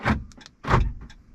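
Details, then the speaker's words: 2012 Ram 2500 6.7L diesel: after programming a third aftermarket SimpleKey fob, two crisp, quick clunks about half a second apart as the door locks unlock and lock; the actuators work normally. "Hopefully you can hear that. It's unlocking and locking the doors."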